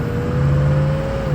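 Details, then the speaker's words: 6.0 truck test drive at 35 mph under engine load after a bad bearing, suspected carrier bearing, was replaced: steady, even road and drivetrain hum with no knock, shudder, grinding or vibration. Normal driveline under load. "No more vibrations under engine load like before. We're doing 35 right now, and it's just, you can hear it smooth as can be."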